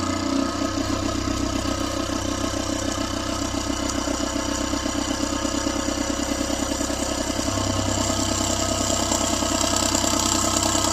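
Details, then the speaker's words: Proxxon mini scroll saw with heavy-gauge blade after loosening over-tight blade tension: fast, even buzzing strokes about three per second, no snatching or rattle, getting smoother; tension right and cutting cleanly. "There we go. See how it's getting smoother and smoother? Okay, that sounds good to me."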